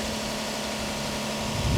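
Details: Copart auction car in Tulsa, engine idling with AC on and compressor trying to engage, smoke smell of unclear source; smooth even idle, no knocks or ticks, engine sounds okay but very dirty, timing belt history unknown; normal idle.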